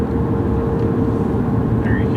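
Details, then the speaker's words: 2005 Cadillac CTS-V on the road at about 50 mph: under heavy road and engine rumble, a steady mid-pitched whine from the rear differential, which also chatters at lower speeds in turns; differential needs attention. "There you can hear it right there, right about 50 miles an hour. You can hear it whine."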